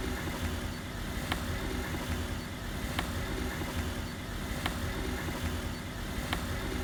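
Sharp, evenly spaced knocks roughly every second and a half over low road rumble point to a knock in the suspension, cause unconfirmed.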